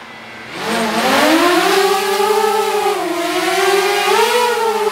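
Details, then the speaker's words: DJI Mavic Air fitted with Master Airscrew propellers, hovering outdoors: smooth, even motor whine rising and dipping with throttle, no rattle or roughness, seemingly slightly lower rpm at idle than stock props; healthy motors. "it sounds like they run a little bit lower rpm I can't tell sounds a little bit lower at idle"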